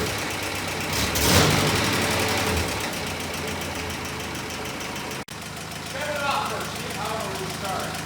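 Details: 1962 Jeep M170 ambulance with a freshly installed engine, being warmed up before a timing check: rough idle with an irregular deep knock underneath, a rod knock.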